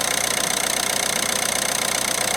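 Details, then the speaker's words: 2017 Citroën Berlingo diesel van after new camshaft and cam belt kit: even idle with steady regular clatter, no misses or knocks; run only briefly, low on coolant and engine mount not fitted. "that does sound beautiful doesn't it yeah that really really really is good news"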